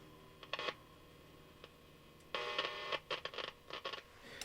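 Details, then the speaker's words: Hallicrafters S118 receiver, failed after months of use: sharp crackling bursts and dropouts as the dial turns, a tuning capacitor plate touching and dirt inside killing the oscillator; fix is bending the plate, still hitting somewhere, may need blowing out. "This plate's making contact somewhere. And we just fix that simply by bending the plate."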